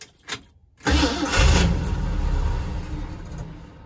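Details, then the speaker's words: Newly acquired truck with the choke not hooked up, start needing several pedal pumps: after a pause the engine catches, roars briefly, then sags and fades as if starving. Hard starting caused by the disconnected choke. "you go so the joke ain't hooked up that's what that tells me okay let's try it again couple more pumps okay so it needs to be nursed along but listen to it friends listen to the truck yeah the chokes not set up"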